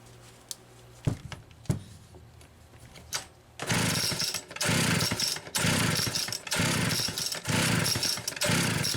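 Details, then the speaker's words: Rebuilt Homelite Super XL carburetor test-run on a known-good test saw with a Phelon electronic coil and a freshly sharpened chain: revs in roughly one-second bursts, blubbery four-stroking at wide open instead of a clean scream; definitely rich on the high-speed side. "Definitely rich on the high side. That's interesting."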